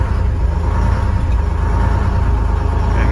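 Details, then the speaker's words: International firetruck with a Detroit diesel, after a ground cable repair and new batteries, not started in about a month. It cranks fast and starts right up with good oil pressure, then settles into a deep, even idle with no misfire; air hiss comes from an air-horn leak. "started right up good oil pressure we'll let it run for a second and we'll flip the throttle and let it"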